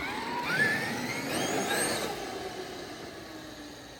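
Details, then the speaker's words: A Traxxas X-Maxx eBay belt drive after slightly loosening the overtight belt gives a motor whine that sweeps up, then winds down smoothly while coasting, with no stutter. The belt runs freely without the earlier drag. "put just pushing it sounds a little better doesn't sound like there's as much tension on that belt so let's try it out again I mean you can still hear the belt"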